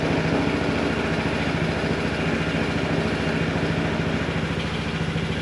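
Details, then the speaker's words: Vespa GTS 300 HPE single-cylinder scooter at its 1,000 km break-in service, started warm right after oil and filter change: steady even idle, slightly noisier at first then quieter as oil circulates; oil pressure light off, healthy. "the oil pressure light came off that's a good sign and the engine when I don't know if you could hear it but when it first started it was a little uh noisier than usual and then it quieted down so presumably that means that the oil is circulating"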